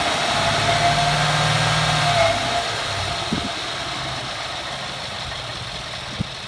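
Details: 2014 Ford F-150 4x4, hood open, engine revved: thin scraping nails-on-chalkboard squeal on top at first, easing as revs settle; once only cold for five minutes, now constant; source undiagnosed.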